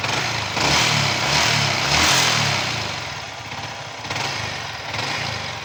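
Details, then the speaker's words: Yamaha R15 V3 BS6 single-cylinder bike, about 8,000 km, after rocker arm replacement and valve clearance adjustment to fix top-end engine noise: quick, even idle beat with no tapping; sounds healthy. "இப்ப ready பண்ணிட்ட அப்புறம் வர noise ஒன்னும் போடுறேன் எல்லாமே கரெக்டா இருக்குது"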